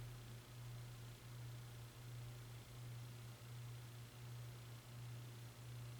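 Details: Hunter Westminster ceiling fan: quiet, steady low 60 Hz hum pulsing a bit faster than once a second; high speed no faster than medium, owner suspects bad capacitor, unconfirmed.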